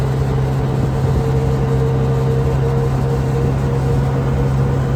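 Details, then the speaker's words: Can-Am Commander driving 10 months after a driveline rattle fix with a new carrier bearing and a heater-hose sleeve. Steady low drone with a constant hum and no clatter or rattle; the driveline still sounds normal. "and here we are 10 months later and and still no Drive Line rattle"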